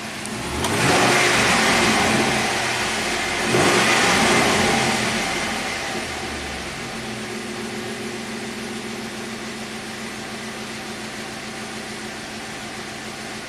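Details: 2006 Pontiac GTO V8, 36,000 miles, six-speed manual, just after new AC Delco plug fitted in cylinder 3: a couple of blips then steady, even idle, no stumble or miss, fuel trims normal; normal idle.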